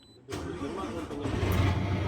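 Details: 6M70-T7 tractor head, 16-speed, previously cranking with no start, after repair: catches almost at once on the key and settles into a steady, even diesel run; healthy start.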